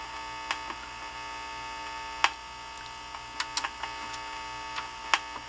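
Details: Emerson mini AM/FM cassette boombox in tape mode: a steady low hum and faint clicks, no playback. The tape earlier played slow and draggy; the owner suspects a lost connection, cleaning or a belt. The radio works.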